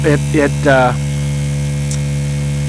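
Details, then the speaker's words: Diaphragm pump (about 22 gallons/60 liters an hour) emptying the reservoir of a solar-powered straw bale garden in late October: constant loud droning hum, steady in pitch after a brief noise at start; noisier than centrifugal but running normally. "It's fast enough, but as you can hear, because it's a diaphragm pump and not a centrifugal force pump, it's a bit noisier."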